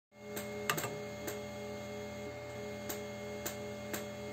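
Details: Anycubic Mega X extruder clicking roughly every half second over steady motor and fan hum; filament not feeding though it melts fine when pushed, suspected faulty extruder drive gear, not confirmed.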